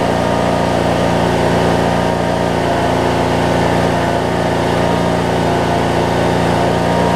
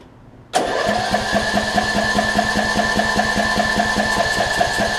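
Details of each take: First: 2007 Craftsman LT2000 riding mower with a single-cylinder Briggs and Stratton engine, sat a while and backfired when starting, now running; holds a steady, even idle with no popping or hunting; normal idle. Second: 2007 Craftsman LT2000 riding mower, Briggs and Stratton engine not run in a few years, second try with starting fluid; catches and runs rough, uneven and popping, backfiring through the intake while cranking; owner suspects timing off, will remove carb.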